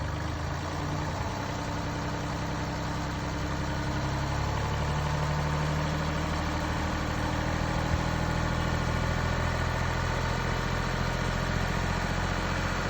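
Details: Mini Cooper D three-cylinder diesel at steady idle: uneven low rattle and clatter riding underneath from a broken dual mass flywheel, which holds the clutch springs and fails through wear and tear; juddering after lifting the clutch is described.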